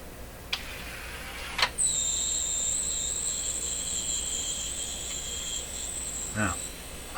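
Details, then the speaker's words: Linn Classik 115 CD/AM/FM unit with CD drawer trouble: thin steady high squeal for about five seconds as the drawer opens and closes; something slipping, likely the drive belt, unable to grip the CD. "so that that sound that squeak is something slipping open the door close the door"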